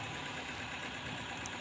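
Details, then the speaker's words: Daihatsu Zebra Espass, freshly washed, idling shaky and uneven with a rough, hissy stumble and dying at small throttle; unstable spark, wet distributor cap suspected, later found with holes in it. "Dan ini juga ada nembaknya l ini semacam strak stabil teman-eman ya listriknya nak stabil semacam listrik kurang fokus"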